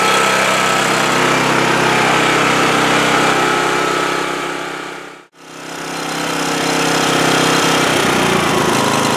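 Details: 2008 Homelite HG1800A 1800-watt portable generator after spark fix and thorough carburetor cleaning: steady, slightly hunting drone running best at half choke; lean, inadequate fuel flow through carburetor.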